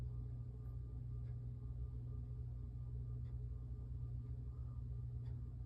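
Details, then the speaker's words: 52-inch Hampton Bay (Air Cool) Windward four-blade ceiling fan, made March 1992, on low speed. The motor gives a low, steady hum with a faint electrical buzz; the owner considers it a minor hum. "This is low speed. Can hear it hum. It's got a little hum to it, but whatever."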